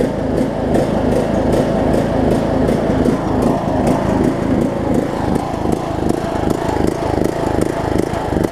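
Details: John Deere LA105 riding mower engine, unrun about three years, cold start near 40°F after fuel tank and carb cleanout, pulses unevenly with a fast tapping beat, speed swelling and sagging; surging. Owner suspects leftover gunk in tank.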